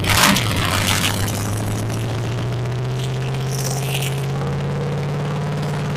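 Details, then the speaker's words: Abandoned 1980s Camaro drag car, 350 four-bolt main V8 previously locked up, first start: cranking then catches and settles into steady even low rumble; normal idle. "yep well we got it running let's see if we can put some water in here so we can fire it up run a little longer"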